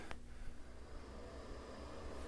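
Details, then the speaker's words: Nutone-Broan bathroom exhaust fan after replacement with new BP27 motor (old one failed to start or ran loud then shut off): quiet low even hum, no rattle or surging; normal running. "that right there is what it's supposed to sound like"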